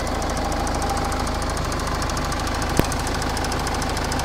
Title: Ford Kuga engine bay clicking sound.